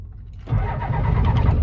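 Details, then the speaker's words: 1992 Ford F-250 IDI diesel, flip truck, after new batteries, air filter, glow plugs and glow plug relay: starter turns engine steadily but never fires; crank-no-start, said to be getting fuel, cause unconfirmed. "Oh, come on now. Oh, she just doesn't want to start. Huh. She's getting fuel. Just not really too happy, huh?"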